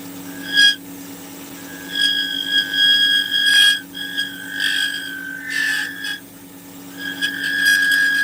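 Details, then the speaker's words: Lathe turning a resin blank with bubbles and voids: a high ringing squeal in bursts as the tool cuts. Tool chatter, and the carbide insert is suspected to need changing. "I imagine that this tool probably needs a a Switcheroo on the uh on the carbide yeah look at that chatter awful awful"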